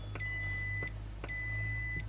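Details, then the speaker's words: Ford Focus Mk3 2012 remote that only unlocks: a multimeter gives two clean continuity beeps across the button contact, reading 0.5 ohms, so the contact and circuit tracks are good. "and now when I press the button, hopefully you can hear the multimeter. It's not making contact, hold on. Like that. Okay, should be making contact now."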